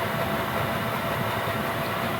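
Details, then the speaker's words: Gearlasso 8kW 12V/24V Chinese diesel heater in manual gear mode at program 10, constant maximum output, hot: steady even burner and fan roar, no surging, clicking or rattle; normal full-output run. "So that's running flat out now in terms of output power. And that's a constant output power."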